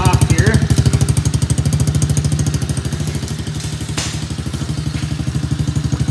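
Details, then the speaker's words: Small Chinese kids ATV single-cylinder after carburetor cleaning, on jumper battery, warming up before oil change: steady quick popping about three a second, settling as it warms — normal warm-up running. "so I'm gonna let it run a little while here and but the oil change will be on the next video"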